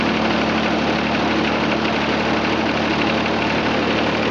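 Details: John Deere 455 tractor with about 2,231.5 hours, steering inoperative from a detached hydraulic line: even, steady idle with a constant low drone and no misses, rattles or knocking; engine runs healthily.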